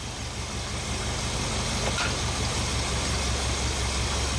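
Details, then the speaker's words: 1980 Ford F-350 service truck 460 big-block V8 with dual exhaust, first run after install: low uneven lope, mixture screw fully out; intake/exhaust vacuum leak at carburetor, confirmed by smoke pouring out. "That's the mixer screw all the way off. That tells me we got an exhaust or an intake leak going on around the carburetor somewhere."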